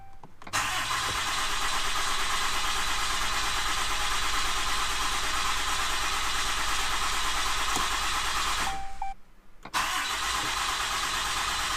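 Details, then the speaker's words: Ram 2500/3500 6.7L Cummins turbo diesel, first start right after replacing both fuel filters. It catches on the first try and settles into a steady, even idle clatter with no stumble or misfire, and no leaks. Normal idle. "I'm going to go ahead and attempt to start it. That was the first try."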